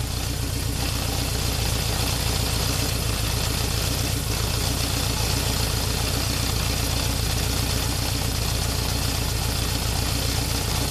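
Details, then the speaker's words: 1978 Honda CB750K four-cylinder at idle after carburetor sync with homemade manometer, settled and stabilized; smooth, even idle with steady beat, no misses or hunting. Normal idle. "I don't know now that we've let it sit and stabilized this is pretty well the level across the board I think we're going to stay with that"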